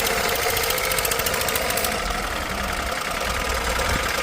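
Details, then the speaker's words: Carbureted Lada (Zhiguli) VAZ-2106 converted to 4th-generation methane gas injection with Royal 2-ohm injectors, running on gas: steady, even idle with a busy upper hiss and no clear misses; normal idle. "Mashinamiz gazda ishlab turibdi."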